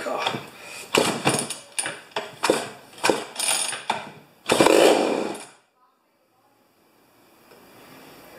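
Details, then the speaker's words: Rebuilt 50-year-old 100cc Homelite XP 1020 chainsaw, choke at 3/4: repeated pull-cord strokes, engine turns over but never catches; owner suspects it isn't drawing fuel and considers removing the choke cover. "I don't think it's drawing fuel man I might just uh take off the choke cover"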